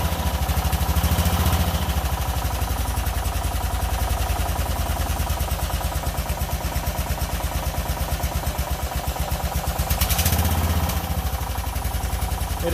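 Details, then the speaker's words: Mud mower small single-cylinder engine after rebuild, spark plug and carbon-coated head cleaned: fires steadily and evenly at settled idle, no knocks or misses; smoother and quieter than ever, running normally. "sounds like it's running better than it ever ran before it sounds really smooth and quiet"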